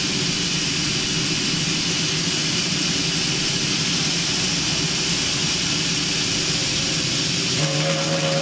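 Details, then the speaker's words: New vertical test boiler, pressure above 140 psi, main safety valve set around 150: loud unbroken roaring steam hiss as the main safety valve lifts fully and blows off. "There she goes. That's the main one. Let it go off. Really go off."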